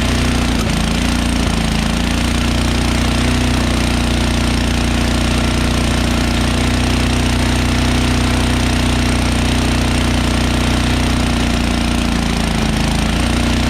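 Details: MTD Yardworks snowblower, Tecumseh 1333 13HP engine, 33-inch, first start in a couple of years, cold: fast, slightly uneven single-cylinder chatter at raised idle, dipping and recovering; nearly stalled when choke moved to run, needs warm-up.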